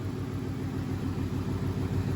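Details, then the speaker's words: Gen 2 Coyote V8 S550 Mustang RTR after replacing bank 1 VVT sensors, warmed up: deep even rumble with steady beat, no misses or stumbles, idling prettier than before; normal warm idle. "Definitely sounds like at idle now, after you let it warm up, it's sitting a little bit prettier."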